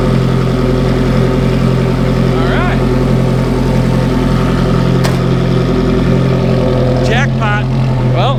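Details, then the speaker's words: Ferrari F430 idling after the exhaust leak repair, aftermarket headers reinstalled with new factory gaskets and hardware: steady, even idle with clean low note, no puffing or ticking; much better condition and sound. "This thing is in much, much better condition and sounds a lot better."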